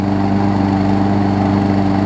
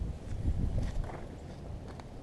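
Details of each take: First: New Murray push mower, Briggs & Stratton 450 series, repaired after box-crush damage (deck, flywheel, block), warm start: steady even single-cylinder drone, constant pitch, no blade striking the deck; running healthy. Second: New Murray push mower repaired after being crushed in its box (cracked block, twisted deck), started with starter fluid: small engine runs unevenly with a rough scraping rattle as the blade strikes the bent deck.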